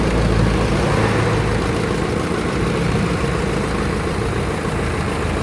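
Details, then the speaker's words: Isuzu 4BE1 diesel idling evenly with a steady clatter and no misses or hunting, after its heavy black smoke cleared once the injector nozzles were cleaned; now runs clean, no smoke, like a petrol engine. "Ayan guys wala ng usok oh. Wala ng itim."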